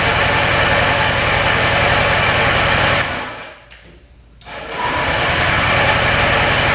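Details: Honda Ruckus scooter (stated as 2018 and as 2015), free non-runner, after a kick-start repair: the small engine idles with a quick uneven beat, briefly sags almost to nothing, then picks back up; running rough.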